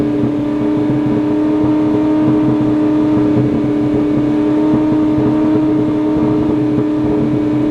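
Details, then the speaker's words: Ferrari 458 idling very high on its own after surging, nobody on the throttle, battery pulled to reset: loud, steady high-pitched drone; owner suspects a dirty MAF sensor or sticking throttle bodies. "only thing i can think of is maybe a dirty maf but that seems like crazy this is not like typical dirty math stuff something something's really messed up it's almost like the throttle bodies are sticking open"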